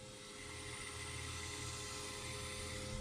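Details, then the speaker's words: Dodge Stealth with no fuel pump operation from the car; the pump is jumpered directly to power at the black relay connector: steady high-pitched electric hum with a faint whine, engine off; the fuel pump itself is good. "that is the fuel pump running uh that way you can tell the fuel pump is good"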